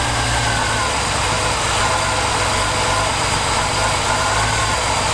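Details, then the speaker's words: Reliant Scimitar Essex V6 pushrod engine after fixing top-end tappet rattle, idle from front: even steady idle with smooth low beat, no ticking or tapping; quiet and healthy. "That's so quiet."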